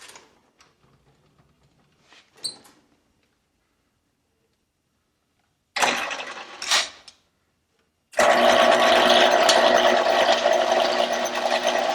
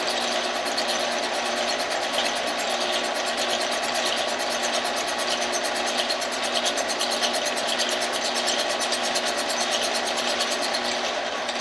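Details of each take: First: 1948 Kwik Way boring bar boring a motorcycle cylinder for a project chopper, feed engaged. It spins up to a steady, even whir with light regular chatter, but the cutter is not yet touching the bore: running without cutting. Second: 1948 Kwik Way boring bar boring a chopper motorcycle cylinder. A steady whir with a faint rhythmic rise and fall as the tool just contacts the wall about an inch down, cutting only part of each turn: the cylinder is probably out of round.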